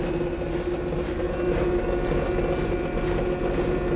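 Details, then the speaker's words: Electrolux washer-dryer (LSE 09 board) mid spin cycle with a loud rough droning hum, not a bearing: the overheating IPM motor drive module oscillates, letting the rotor drag on the stator. "Esse é o barulho no meio da centrifugação."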